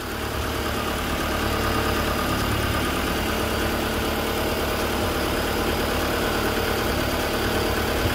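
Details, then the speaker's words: Honda Civic hatchback engine first started after sitting 10 years, run briefly with no coolant as headers heat: steady, even, quiet idle with constant rumble, no knocking or grinding heard, though hidden compression faults can't be ruled out. "it sounds really good i don't hear any grinding i don't hear any um you know no knocking it's really quiet"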